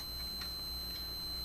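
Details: Restoration of a 1947 Chevrolet car radio: a steady high electronic tone over a faint hum at power-up, a supply short alarm with the power switch off; owner suspects an insulator he shifted out of line is causing the short.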